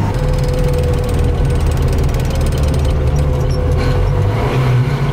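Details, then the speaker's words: GAZ Volga M24, restarted after years stored, on the road: steady low road drone with fine fast ratcheting chatter on top; brake drums badly deformed. "Da. Da. Tobele sunt bine deformate."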